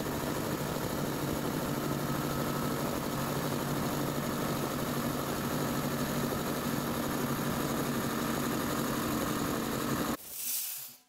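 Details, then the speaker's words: Cobalt air compressor, filling from 0 psi during a timed fill test. Steady fast pumping drone with an even beat, no knocks or squeals, then it cuts off; normal running. "granted this one is quieter um but not by that much but that one is way faster than filling a 20 gallon tank"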